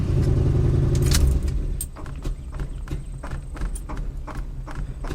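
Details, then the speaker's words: 1971 Lincoln Continental Mark III after shutoff: engine keeps chugging in uneven coughs three or four a second, severe dieseling run-on because the carburetor transfer slots (throttle) are open too far. "uhoh transfer slots are way too far open that is the worst diesing I've ever seen look at it go"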